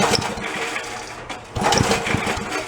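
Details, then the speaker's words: Commercial pressure washer's small petrol engine, long unused, primed by dribbling fuel in; it catches, runs in uneven bursts, sags briefly, then picks up; motor sounds good so far, though the owner expects the carb will need ultrasonic cleaning. "go he's got a good motor so far"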